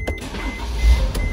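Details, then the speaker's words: 2012 Mercedes/Dodge Sprinter after the failed electronic steering lock was bypassed with an emulator: key turned to on, a short steady electric hum as the fuel pump primes, otherwise quiet. Normal fuel pump prime. "put the key in here the Eis release on position you hear the fuel pump"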